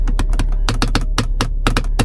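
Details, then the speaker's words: Vauxhall Mokka 1.6 from auction: irregular sharp clicks in uneven Morse-code-like bursts from the gear lever linkage, a rattle said to be common on these models. "I don't know why it is on Mochas. They all seem to make this noise with the gear stick."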